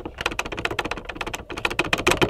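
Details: Honda S2000 soft top latch: quick, light plastic clicking and clattering from the loose latch plastic panel over bumps; fixed per service bulletin by stuffing foam into the gaps inside the opened latch.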